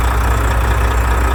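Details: Volvo FH with 13-litre engine, which came in with knocking and grinding in the valve cover, after repair: heavy diesel idle with a steady, even low rumble, no knock or grinding.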